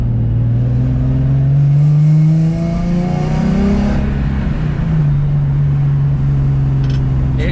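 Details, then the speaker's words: Nissan 350Z driven after a rubber grommet fix cured limp mode and a check engine light: pulls cleanly through the revs with a smooth rising note, no stumble; no longer bogs at low rpm as it used to. "it sounds fine it feels fine it doesn't bog at lower rpm he used to bug at lower pm"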